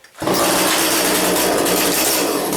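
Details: Chainsaw in for repair, test-run after work, noticeably better: fires and holds a steady even buzz at fairly high revs, no stumbling or bogging; running properly.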